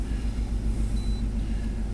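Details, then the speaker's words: 1991 Chevy K1500 V8 idling during compression waveform testing with a pressure transducer, chasing a persistent idle problem; lumpy, uneven idle with a regular stumble from one cylinder not firing: single cylinder misfire. "All right, here we go. Crank it up. He's got a single cylinder misfire now, of course."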